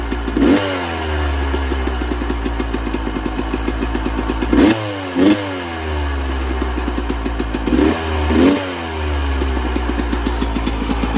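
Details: 1996 Yamaha YZ250 two-stroke, warmed up, pipe too hot to touch, before carb work: steady ticking idle, four or five throttle stabs flatten and stumble; bog on throttle, small blips fine, suspected pilot jet issue.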